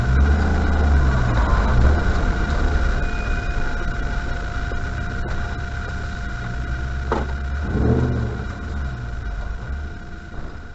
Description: A video showing how much brake squeal my RRC currently has.